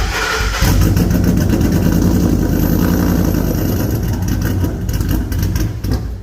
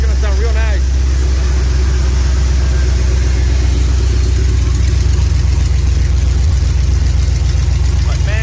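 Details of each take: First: Ford SVT Lightning V8, new-build motor with ported supercharger on E85, aftermarket intake, cold air intake and long-tube headers: lumpy, stumbling idle that sounds cammed though it has no cam; misfiring at idle, many cut wires to be checked. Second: SVT Lightning new-build engine, E85, ported supercharger, EGR delete, open headers, first start cold with no coolant: deep, even rumble with steady firing pulses, no stumbles or shake; smooth idle, slightly high, good oil pressure.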